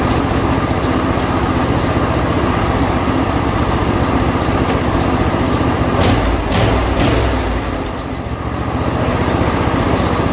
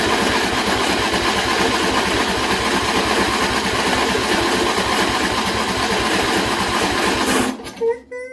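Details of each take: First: John Deere L120 lawn tractor after carburetor replacement, choke on, throttle about midway: small single-cylinder engine chugs at a steady fast beat with only a brief dip; starts and runs without pouring gas in the carburetor. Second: John Deere L120 mower after a carburetor replacement, choke off and a little throttle, battery run down from earlier cranking. Starter churns steadily for about seven seconds without catching; a really long crank. Hard starting.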